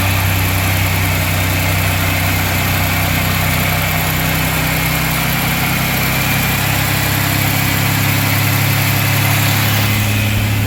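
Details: Pontiac Grand Prix 3800 Series 3 (L32) first start after replacing the lower intake manifold gaskets and cleaning the injectors: steady, even idle with a smooth low rumble, no knocks, misses or ticks; healthy.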